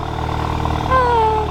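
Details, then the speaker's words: VW MK7 GTI first startup after installing a CTS downpipe: steady idle with soft burble and faint turbo whistle, no ticking or puffing at joints, so no exhaust leaks; normal idle. "I guess it does sound good. Well, it doesn't sound like there's any leaks, so I guess that's one good thing."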